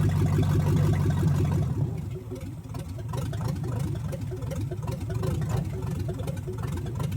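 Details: 1970 Chevrolet Chevelle engine, once full of dirt from a field, on first run after reassembly and a hand timing adjustment: low, loping V8 idle with one pulse regularly dropping out; it sounds like one cylinder is missing, cause not confirmed.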